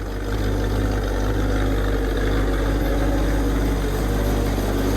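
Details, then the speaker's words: 1965 Ford Mustang coupe, originally six-cylinder 3-speed, V8-swapped (owner suspects 289, possibly 302), just after a cold start following a week unused: deep steady even V8 idle burble, no ticks, knocks or stumbles, smells of old gas; normal idle. "look at that fired up immid immediately smells like old gas yeah it doesn't sound too bad back here"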